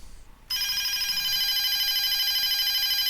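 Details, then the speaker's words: DSE FP-200 telephone, ROHM BA8205 ringer IC fed directly from a bench supply: bright warbling trill switches on cleanly, runs evenly under three seconds; ringer circuit works. "it makes a ringing noise doesn't it I think you can hear that yep my level meter goes up so yeah that that seems to work"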